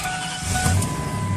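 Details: 1997 Ford F-150 after replacing the starter solenoid (click, no crank) and reconnecting a forgotten ground cable: engine starts and runs with a steady, even low drone and no misses or knocks; normal running. The fault was later traced to the starter cable connection.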